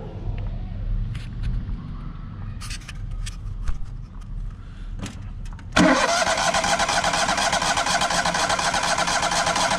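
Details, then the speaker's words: Trailblazer 325 EFI, sat too long and wouldn't start; after fuel system work and priming filters, cranks with scattered clicks, fires near six seconds and settles to steady even run; dark exhaust from bad gas; normal start and run. "all right so that did the trick hell yeah brother we got her so this is pretty exciting"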